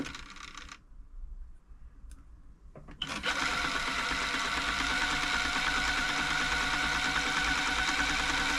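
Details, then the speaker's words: Elna Club Computer 500, Swiss-made electronic sewing machine, probably 1980s, in for service (bobbin tension, top thread looping); stretch switch turned off so no double tapping, spins up to a quick even whirr, runs free and healthy. "turned off the stretch switch now which is why it isn't making that double tapping noise running it all up make sure it's free it's working"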